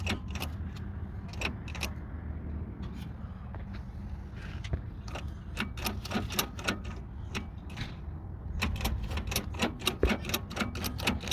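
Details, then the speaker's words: 2004 Toyota Sienna drive shaft, wheel turned by hand, engine off; irregular sharp clicks and clunks with lots of play, grease gone and dry, causing vibration above 60 km/h and on acceleration. Worn dry CV joint, needs replacement. "you see that noise, and it's a lot of playing, a lot of vibration, makes a lot of noise too. And this one has to be replaced. All the grease is gone and it's very dry."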